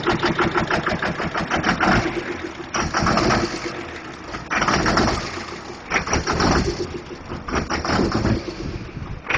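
Lumpy, uneven diesel idle with irregular surges and a ragged clatter about every second or two, pointing to a failing injector.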